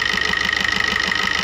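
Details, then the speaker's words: Maruti new Swift diesel idling with regular knocking and white smoke when revved: sharp metallic knock about six a second; return test shows injector no. 1 returning about double cylinders 2–4; injector to be serviced, tank cleaned, fuel filter replaced. "तो भाई इसका main reason 1 number injector का प्रॉपर काम ना करना।"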